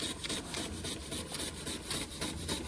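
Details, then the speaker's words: Josef Falk 456 overtype model steam engine, awaiting finished restoration, run after sitting a couple of months: soft, quick, hissy chuffs about four or five a second, steady and even, running normally. "It even sounds like a steam engine. Very pleasing to watch. Very pleasing to watch."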